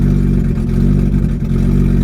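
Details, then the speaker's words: BMW E30 with hard-starting/flooding issue: uneven, lumpy running with clatter and a wavering beat as revved, a flooded engine struggling to clear after a hot start and gradually getting better; gauges wander until warm. "It's trying to clear up. Yeah, it's getting better."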